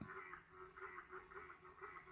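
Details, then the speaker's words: Dell XPS 13 2015 laptop fan: quiet whirr wavering, pulsing several times a second instead of spinning smoothly, then shutting down; abnormal fan noise, owner suspects a broken bearing. "sounds weird. And here's the fan shutting down. Sounds like a broken bearing or something."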